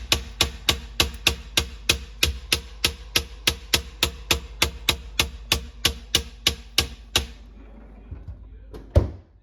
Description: Major problem - LG refrigerator is making loud banging knocking sound so many times a day. It does it at random times. Noise is heard throughout the house.